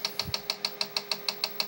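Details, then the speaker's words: Tandy 1000 SX with ST-250R hard drive, powered with controller cables disconnected: sharp, even ticks about six or seven a second over faint hum; heads tick repeatedly, owner suspects seeking past track zero, not the controller. "it's still doing the ticking but i noticed one thing that it actually i thought it might have been the controller but i've pulled the cables from this thing powered it up and it's going to do the same thing there it goes so it sounds like the hard drive is trying to get to like track negative one or something like that"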